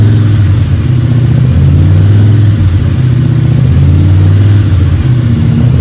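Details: Freshly built 302 Cleveland V8 with a Holley Sniper and electronic distributor, about 20 minutes into cam break-in: deep, smooth idle with a couple of gentle blips that rise and fall cleanly. Fresh engine running well.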